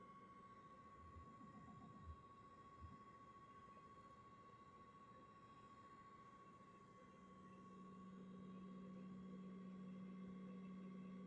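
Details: PS5 with faceplates on and base secure: thin steady high coil whine throughout, joined midway by low electrical buzz as load rises going from dashboard into a game.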